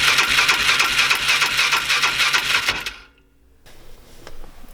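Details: 2005 Polaris Ranger 500 UTV, in neutral with choke on: quick, even starter whirring at about three beats a second for nearly three seconds with no firing; cranks but will not start.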